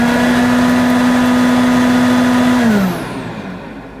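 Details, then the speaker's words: 1986 Hoover Junior U1206 Dirtsearcher upright vacuum, 300 W motor with headlight, first switch-on on a 3 A fuse: a steady, even motor hum at one pitch that slides down as it switches off. Normal running; the headlight works. "well it works and yes amazingly the headlight works that sounds good to me"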